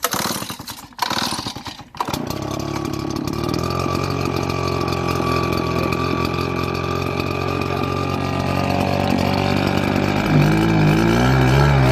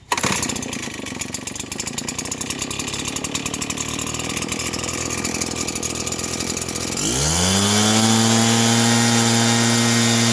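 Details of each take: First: RedMax RBZ8500 backpack leaf blower losing power and bogging: a small two-stroke starts after a couple of pulls and runs with an uneven stumbling misfire, possibly from spark plug buildup (NGK CMR7H). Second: Redmax RBZ8500 backpack leaf blower after replacing fouled spark plug with NGK CMR7H (previously bogging, misfiring); quick even idle then smooth climb to strong steady scream without stumbling; normal running.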